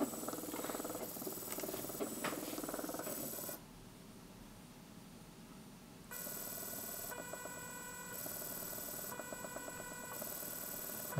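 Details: Small DC motor driven by Arduino through an L298N module at PWM values around 180 and full speed: steady electric whine, stops, then restarts in the other direction at a different speed and pitch; smooth and even both ways.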